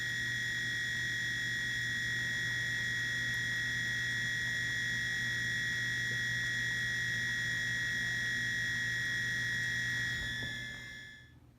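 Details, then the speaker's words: Whirlpool dishwasher at cycle start: a steady high-pitched whistle over a faint hum; owner suspects the water inlet valve and plans to replace it. "I'm pretty sure that is the water inlet valve of is the cause of this noise so I'm going to replace that today"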